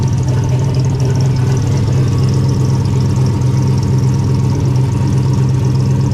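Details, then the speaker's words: Car with the hood off after an oil catch can install: loud idle with a low drone and faint higher whine. The owner says the power steering pump sounds about to implode. Crankcase fumes are now gone. Power steering pump noise. "You like my power steering pump? Sounds like it's about to implode on itself."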